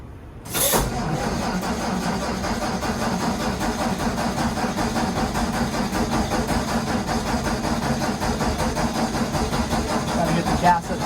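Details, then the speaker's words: 1954 Ford F100 with original 223ci six and 6-volt positive ground, completely cold start with choke pulled: starter catches within a second, settles into an even, steady idle with no knocks or misses; normal cold start. "to the carburetor there we go it's gonna go pull up the choke a little bit let it idle it's a little cold today"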